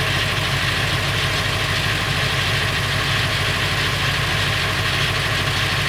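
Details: Late 1999 Ford F350, 7.3L Powerstroke diesel at idle: fast, uneven metallic clatter over the rumble; noise more pronounced under the truck; rattle of unknown origin, owner wonders flexplate or engine.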